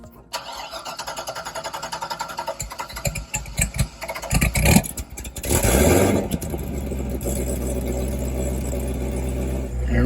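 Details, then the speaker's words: 2010 Corvette ZR1 (C6, 640 hp) first startup after sitting unknown time, air filter missing: starter cranks about three seconds, catches with a flare, then settles to a steady but somewhat uneven idle; owner suspects rough running from storage. "it's been sitting for who knows how long and it's got the air box also it's probably running rough"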